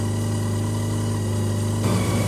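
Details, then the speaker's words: Mazda RX323 (rotary Mazda 323), running a little rough, idle turned up, air mixture screw adjusted, timing being checked: fast, smooth idle holding steady around 1500 rpm, a touch high; high idle speed. "I'll see what it's revving at now. Dialing at about 1500, which is probably a touch high."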